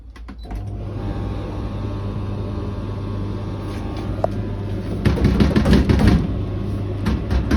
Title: BEKO tumble dryer making some strange noise lol